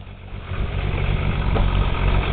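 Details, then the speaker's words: Toyota Supra 7M engine bought used, cold start to idle: deep heavy uneven bottom-end thumping, consistent with rod knock; also smoke from the oil cap hole. "start the car sounds like hell I know this is the way the motor was sold to me"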